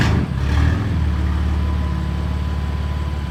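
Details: BMW F80 M3 after spark plug replacement: quick start with a brief flare, then a smooth steady deep idle with no misfire or stumble. Normal idle.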